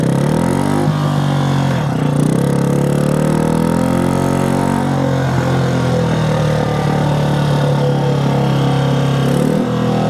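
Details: 1965 Honda C100 Cub 50cc single, neglected for decades, kick-started after revival, still needing tuning and cleaning: buzzes and rises and falls with the throttle, but the beat wavers and sounds unsettled; rough running, cause unclear.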